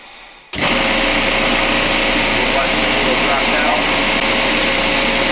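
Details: Refrigerant recovery unit pulling refrigerant from a Whirlpool ABB2224WEB2 refrigerator (not cooling, failed compressor) before compressor replacement; switches on sharply into a steady, high whirring motor drone holding an even pitch, running normally.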